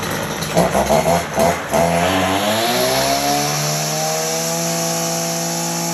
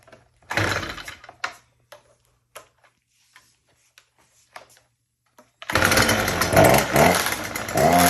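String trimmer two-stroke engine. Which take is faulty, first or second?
second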